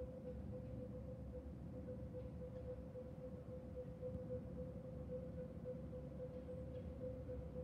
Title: Weird Sonar/Beeping sound from the sky or from the railroads behind my house?